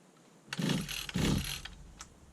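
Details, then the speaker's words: 1991 Victa VS19 straight-shaft two-stroke strimmer with its carburettor just refitted and primed: pull-cord rattles; it fired briefly but didn't stay running. Cranks but does not start properly, and adjustment may be needed. "It fired. I've got life. Just didn't stay running, that's all."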